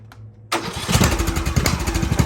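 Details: 2014 Snapper ST 1842 riding mower after fixing valve cover leaks; catches instantly after brief crank and settles into steady even single-cylinder putter, no misses or smoke, healthy.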